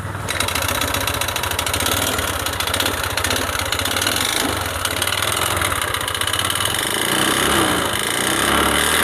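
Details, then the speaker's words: Yamaha Lexi 125 scooter run out of oil, restarted after dying: engine runs rough and uneven with harsh irregular firing, smokes, then dies; spark plug black with oil, piston worn. "sampai begal 1 beban hidup lagi tapi suaranya kasar hidupnya sebentar lalu mati lagi seperti ini contohnya"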